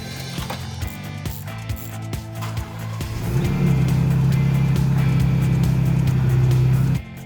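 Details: Jeep Wrangler sat for about three months: choppy clicking cranking, then a loud steady low growl for several seconds as the starter gear grinds on the flywheel; owner suspects a failing starter or loose connection, fixed by replacing the starter.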